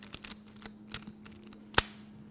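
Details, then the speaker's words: Mercedes ignition steering lock assembly sent in for rebuild, microphone held close: the key is sticky, goes in notchy, and gives dry, uneven clicks and a sharp snap when turned; worn ignition lock tumbler needing a new tumbler before it jams. "and when you try to push the key in look it doesn't doesn't go in easily see that and it's very notchy when it goes in and when you turn it you can hear all that noise in the lock"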